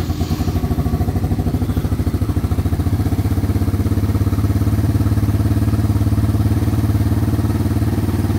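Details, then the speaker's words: 2016 Arctic Cat DVX 90 single-cylinder idling in neutral for a minute after an oil change to circulate oil. Steady, even putter with no knocking or grinding; normal healthy idle. "You don't hear any kind of knocking or grinding. That's a good sign."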